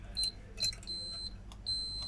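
Short, high, clean beeps come in separate bursts over a quiet room, the ordinary tone of a meter finding continuity.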